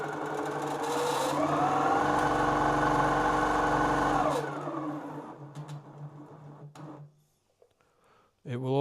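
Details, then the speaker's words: New Grace Company Little Rebel sewing and quilting machine, bobbin case and foot removed, run from slow to full speed: a smooth whir that rises in pitch, then winds down cleanly to a needle-down stop. Normal running. "Okay, here we go, slow speed. And we'll speed it up slowly as we go."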